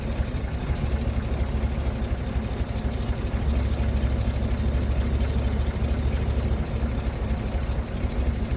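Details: Rolls-Royce Silver Cloud S2 warmed up, plug leads pulled one by one: deep uneven lumpy idle barely changing on one lead, suggesting a dead cylinder; suspected plug misfire, not confirmed.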